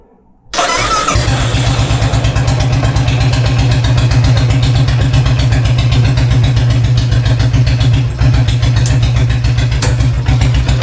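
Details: Single-cylinder motorcycle engine starts cleanly, then after about 10 seconds idles with a heavy, regular banging, three to four a second; first start seemed fine for several minutes, later starts repeat the noise.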